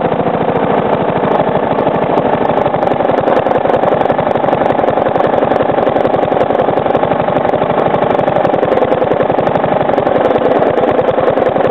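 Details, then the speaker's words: 3-year-old Briggs & Stratton lawnmower engine after sitting 6–8 months over winter, fresh oil and not low, slowed to almost stalling: sharp, rapid, regular knocking, masked when revved; owner suspects improper combustion or a worn loose part. "I'm going to slow the Rev down till it like almost stalls itself out so you can hear the knocking cuz when I rev it up you obviously can't really hear it that well cuz the the sound of the engine muffles it"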